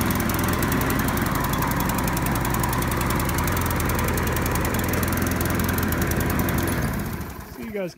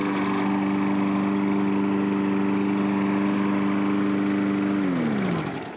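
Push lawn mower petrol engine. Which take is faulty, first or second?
first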